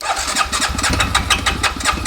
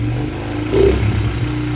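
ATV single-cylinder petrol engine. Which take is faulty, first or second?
first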